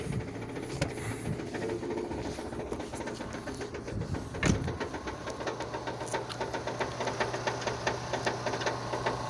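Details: 2006 Renault Scenic 2, K4M 1.6 engine, automatic, 202,000 km, cold start; light quick ticking knock about two or three a second over a soft idle, coming from below; changes as the engine warms, source not found.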